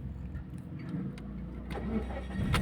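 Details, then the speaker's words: Mazda 3 that cranked but wouldn't start due to low fuel pressure, after replacing the fuel pump assembly and fuel filter: cranks briefly and catches straight away, settling into steady running; normal start. "So swabe na yung ating Mazda 3 mga boss. Fuel pump ang ating pinalitan assembly tapos yung kanyang filter sa baba."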